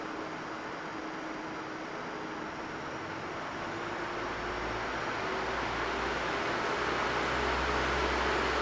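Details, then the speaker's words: Noise level of an MSI RTX 4090 Suprim under typical load (Ryzen 5800X3D system, Lian Li O11 Air Mini case): steady airy fan rush with a faint hum line, growing louder as fans spin up; normal fan noise. This card also has coil whine. "What about noise levels? Well, this is what the GPU sounds like under typical load."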